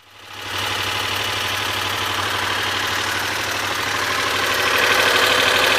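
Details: 1986 Honda VFR400 NC21 V4 at steady idle with a light, regular knock about three times a second sitting above the engine note; cause unclear.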